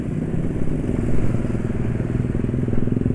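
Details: 155 cc motorcycle riding on Yamalube XP oil at about 156 km use: even, steady low drone with no grunting or uneven pulses; vibration much reduced and earlier "ngok-ngok" noise gone; normal running.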